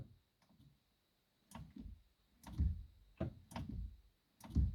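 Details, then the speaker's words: SeaFirst hydraulic boat steering for a Mercury outboard after filling and bleeding: irregular dull clicks as the helm is turned; owner suspects valve damage from turning the wheel without enough oil during filling, unsure. "is something related to valves there I don't know could it be damaged with uh uh the try to rotate wheel without enough oil during the filling"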